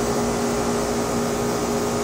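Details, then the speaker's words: 2006 Rheem Classic 4-ton 13 SEER straight-cool condenser, Copeland scroll compressor, R-22, model RAND-048JEZ: even quiet fan whoosh over a faint steady hum, no rattles or knocks; running very quietly and normally. "but this thing's quiet I couldn't even tell it was running"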